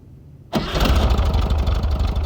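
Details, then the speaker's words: 1967 VW Fastback after sorting its repeatedly failing ignition: the engine catches at once and settles into an even, low, steady idle with no misses or knocks; normal start and idle. "wow sounds great baby i'm calvin so i've got it back on its wheels got idling pretty good"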